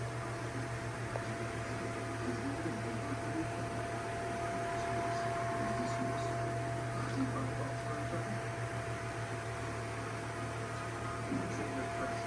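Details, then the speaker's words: Electric fan at full power in oscillation mode, blade dirty: steady loud mid-pitched whine/hum from the motor over the airflow rush. "It has a loud wine to it. Check out the wine or the humming sound. It's running at full power, but you can hear that hum."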